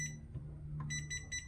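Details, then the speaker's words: Seesii professional laser level, new out of the box: short, sharp high beeps in quick clusters, about four in under two seconds, are its out-of-level warning before the pendulum self-levelling settles the line. "that beeping yeah so the beeping it's telling you that it's it's not level"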